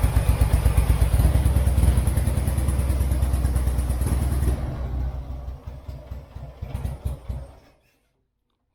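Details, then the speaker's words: Turner Ranger tractor with 1098cc A-series engine, started on a jump pack after weak spark, fouled plugs; catches then runs unevenly, stumbling and stalling, missing on a cylinder; owner suspects dirty spark plugs or HT leads swapped. "missing a bit but let's try that again it clears sounds like a stone on the cylinder somewhere"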